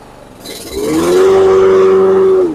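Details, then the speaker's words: Toro Super Recycler SR4 mower after blade clutch repair: picks up smoothly into a steady, even hum and holds speed without bogging. The blades engage cleanly. "All right, sounds a lot better."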